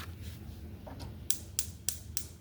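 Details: Used gas stove, electric spark igniter tested while plugged in; sharp even snapping ticks about three a second over a quiet room, igniter firing steadily and working properly.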